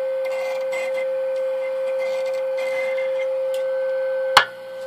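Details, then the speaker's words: Tram D201 tube CB radio on sideband, volume high: steady high ringing through the speaker, then a sharp tap rings out; turning squeaky cores vibrated the chassis, making a microphonic tube squeal. "when I was turning one of those cores a little bit squeaky it vibrated to chassis just enough that this harmonic tube actually it's starting to squeal"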